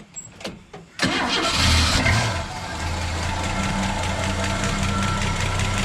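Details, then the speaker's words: Ford XW sedan with 250 pre-crossflow six and C4 auto, first start after 17 years in storage on old oil: brief cranking, then steady even idle without knocks or misses; normal start. "gee sounds all right bro not too bad we'll put some fresh oil in it"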